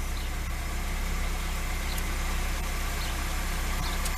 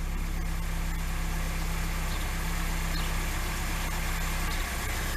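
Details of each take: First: Lada 2102 petrol engine, first start after sitting over a year, plugs cleaned, distributor cap checked, easy start used: settled, regular idle with even low thrum and no misses, knocks or ticks; runs healthy. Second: Carburetted Lada 2102 with a known ignition problem, first started after sitting: low, uneven chug at idle with the beat stumbling. It is running rough; the cause is not confirmed.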